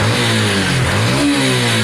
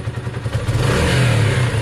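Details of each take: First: Sinnis SC125 single-cylinder bike after a performance carburettor installation, idle just reset low: blips up and settles cleanly, pitch rising and falling smoothly with no stumble or hesitation; normal revving, runs much better. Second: Motorcycle after performance carb fitting (Sinnis SC125 or Honda CB250, unclear), revved in neutral: slight uneven catch and stumble at one specific point as throttle opens; hesitation.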